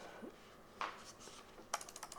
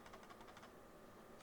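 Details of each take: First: SteelSeries Sensei 310 gaming mouse button clicks: a few sharp, crisp, firm clicks with no rattle in a quiet room; buttons sound solid, normal. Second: SteelSeries Sensei 310 gaming mouse shaken: quick clusters of quiet ticking clicks, still heard while holding the wheel, so a loose part inside rather than the wheel; the "sensor rattle" many users complain about, mouse not opened.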